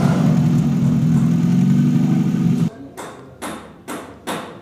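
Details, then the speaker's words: Toyota Corolla XLi/GLi converted diesel to petrol, silencer off, after fixing cam/crank sensor wiring causing long cranking and stalling: steady even low idle hum with no stumbles or misses, then engine drops off. "गाड़ी अभी idol प start खड़ी हुई है और बिल्कुल smooth है"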